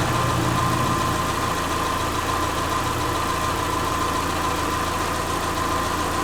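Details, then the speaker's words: Subaru Forester with freshly reinstalled EJ25 flat-four, valves not adjusted, warming up around 114–120 coolant, learning idle: steady, even soft mid-pitched hum, no knocks, ticks or misses; normal warm-up idle. "yeah a little warm up it's learning its idle and everything so it's gonna scratch so far it's running pretty good"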